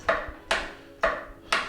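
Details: Murray Select riding lawn tractor (similar to Craftsman/MTD) will not start when the key is turned: sharp single clicks about twice a second with no cranking, caused by a failed starter solenoid that needs replacing.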